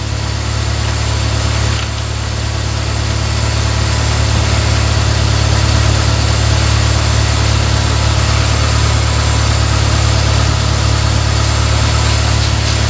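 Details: 2003 Pontiac Vibe GT, Toyota 2ZZ-GE engine, 6-speed manual, after new alternator and belt fitted: steady even low idle, smooth unbroken hum, no knocks or misses; healthy.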